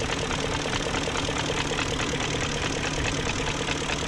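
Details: 2001 BMW E38 740i Sport V8 after new timing chain tensioner, timing chain guides, gaskets, seals and O-rings: smooth, even idle with light regular injector ticking and no exhaust smoke, a healthy-sounding engine.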